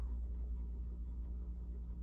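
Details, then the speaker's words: Casablanca Broadway Limited ceiling fan on speed three: steady, low rough rumble with a faint hum from worn motor bearings; needs a bearing replacement or a new motor. "yeah you can hear the bearings either needs a bearing replacement or just a completely brand new motor"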